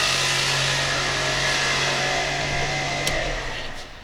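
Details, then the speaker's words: 2007 Kia Ceed 1.6 petrol, first start after intake cam phaser replacement: harsh hissy whirr with steady high whine over idle from alternator bearings loaded by an overtightened belt; loosening the belt cleared it. "що це таке може перетягнув ремня пошіпники в генераторі"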